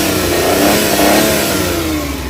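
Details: Suzuki Big Eye F6A fuel-injected engine, after fixing ECM low power, throttle delay and engine vibration: revs rise and fall cleanly and smoothly, no stumble, hesitation or roughness; healthy.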